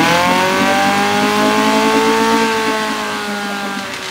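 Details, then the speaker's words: 1972 Johnson 6R-72D 6 hp two-stroke outboard, said to need an impeller, barely pumping water: steady high buzzing note hanging at fast revs, sagging only slightly; won't drop to idle, owner suspects carburetor needs cleaning. "does really want to idle"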